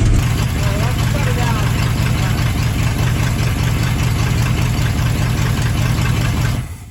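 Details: 1980 Chevy K30 small-block 350, first start in a blizzard on a temporary fuel system: low, uneven, lumpy beat that never settles, then cuts out; rough idle.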